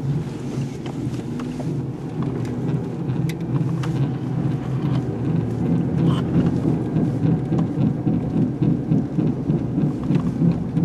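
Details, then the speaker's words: A 1998 Buick LeSabre makes a deep "wah-wah" rumbling drone while driving and turning. It is louder one way and rises to a faster, higher hum with speed, from a bad right front wheel bearing. "this is my right front bearing on my wheel bearing hear that w w"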